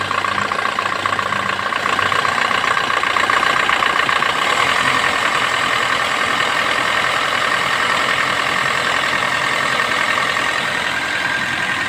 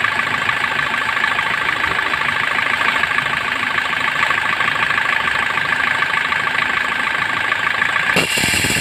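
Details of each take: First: Suzuki Swift engine; steady, even idle with no whirring or grinding from the front of the engine, running smooth and quiet. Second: Suzuki Swift engine idling with steady raspy whirr and fine even chatter; rough alternator pulley bearing, fixed by opening and refitting the bearing.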